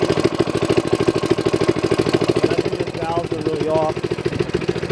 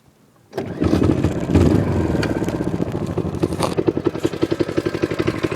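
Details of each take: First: Manco minibike single-cylinder engine just got running, idling: steady beat near 200 pulses a minute with no misses, but a light ticking on top, suggesting loose valve clearance (suspected, not confirmed); noisy valve train. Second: Manco minibike, just got running, started on one pull without priming: settles to an even popping idle around four beats a second, no misses; smooth, healthy idle.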